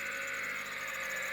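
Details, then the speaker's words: 2008 Jeep Patriot engine running: steady high whirring whine with faint hiss; first suspected timing tensioner, belt tensioner replaced without effect, actually a worn alternator bearing, replacing the alternator cured it. "lo and behold it was an alternator bearing noise so i replaced it for 150. now the noise is gone"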